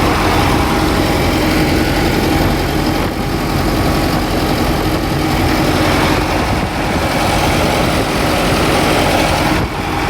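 Deep, even diesel idle with a steady low rumble and no knocks or misses; the engine runs smoothly.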